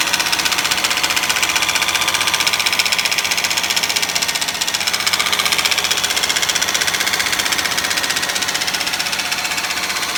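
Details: Honda Legend engine at about 2000 rpm: fast, even knock with a sharp metallic edge riding over the engine; engine knock, source still to be found.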